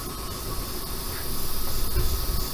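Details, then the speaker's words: ComfortBilt HP42 Alpine pellet stove, first run after assembly with flame just established: constant airy rush with faint steady tone, no rattle or scraping; combustion fan running normally, owner judges noise acceptable for living area. "It gives you kind of an idea of how loud the fan is. That was a concern I had when I bought this unit, was how loud was it going to be, because this is going to be setting in our main living area of our home, so I didn't want it to be too loud."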